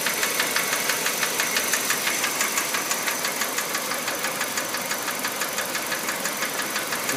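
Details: Kia Rio JB, G4EE 1.4 97 hp, automatic, Mobil 3000 oil, at idle: crisp, steady fast ticking about two per second; owner first thought injectors, then suspects hydraulic lifters, unconfirmed, and the sound worries him.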